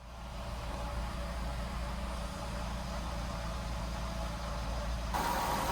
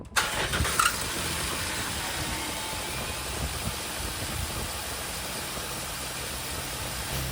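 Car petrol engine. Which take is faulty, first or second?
first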